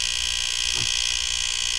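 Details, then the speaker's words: Fisher PC-19R90 15-inch CRT TV, back cover and board removed: steady loud high-pitched buzz from the power board area near the relay; a bad capacitor there is the cause. "esta área es donde se oye el sonido así de que voy a empezar a chequear los capacitores"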